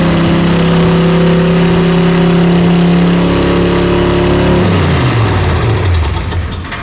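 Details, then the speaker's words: 1970 Dodge Charger race car revived, battery barely charged: loud steady V8 run with even beat, revs dropping back smoothly; it runs, sounding like maybe 250 hp. "Yeah! It runs! It's alive! Runs and sounds like all of maybe 250 horse, if that, we'll see."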